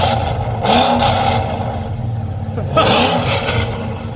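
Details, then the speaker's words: Police Interceptor Crown Vic V8 with newly installed longtube headers and owner's cold air intake, not yet warmed up, in park: two crisp blips to about 3000–3500 rpm rising and falling cleanly, deep exhaust note, no rattles; sounds good and quiet. "that thing sounds good man yeah it is that wasn't that wasn't much that's probably what 3500 rpm if that"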